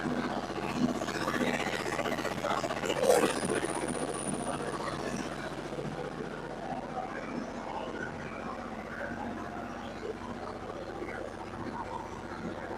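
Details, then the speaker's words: Yanmar 15 kW diesel generator set with just under 800 hours, just fired up and to be run about half an hour to reach temperature: after a brief start-up flurry, a steady, even diesel drone with no knocks or misses. Running normally. "Okay, so we got it fired up. I'm going to let it run for about a half hour. uh get it up to temperature, make sure it's doing what it's supposed to be doing, running where it's supposed to be running."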